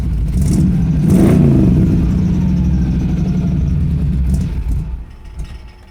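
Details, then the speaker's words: Pontiac Strato Chief with new homemade exhaust, choke engaged: starter cranks steadily at about four turns a second for several seconds with no catch; owner thinks it is out of gas. "honestly it might be fully out of gas I don't know I think I'm out of gas that's annoying"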